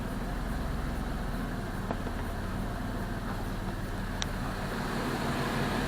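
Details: 2002 Jeep Liberty 3.7 swapped engine idling after codes were cleared, check engine light out, coolant level good: quiet, even low rumble with steady beat, no knocks or misses; idling smoothly.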